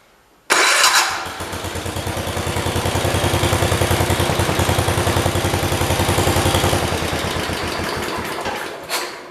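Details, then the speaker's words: 1973 112 tractor after tightening a loose part, aimed at a misfire: it catches quickly and runs an even beat of about 3.5 pulses per second with no skips. The miss is gone, though it started rough after sitting an hour. "Got that miss out of it if you guys didn't hear, so I'm happy."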